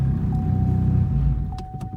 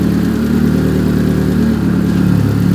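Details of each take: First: Big-turbo Chevrolet Cobalt SS on E85, right after a cold start: low, lumpy idle pulsing unevenly and sagging near stalling; mild misfire, choppy under boost, check engine light on; owner suspects gummed-up spark plugs. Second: Big-turbo Chevrolet Cobalt SS after spark plugs cleaned and regreased, driven in rain with wheels spinning; strong, even engine drone with steady low pulsing, no break-up and no check engine light; normal running.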